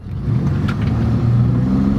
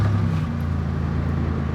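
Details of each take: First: Ex-police Chevy car, V8, with its muffler blown out after the owner tried to make the exhaust shoot flames; a deep, loud exhaust roar swells as it pulls away, far louder than stock. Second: Ex-police Chevy with a V6 engine, 161,000 miles, idling in park and then in gear; a steady, even low rumble with no misses, knocks or hunting, idling smoothly and the same in gear.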